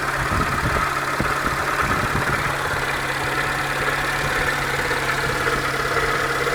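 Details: 2004 Peugeot 307 1.4L petrol at idle: a light knock in time with the revs. It persists after a full timing belt kit and with the crankshaft pulley removed; cause not found.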